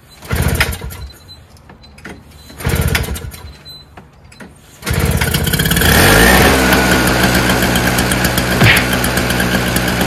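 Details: Old Craftsman 5 hp two-stroke single-stage snowblower, recently fixed by simply adding fuel, started unprimed with choke: two rope pulls, then it fires and settles into a steady, even two-stroke buzz; starts easily and runs cleanly.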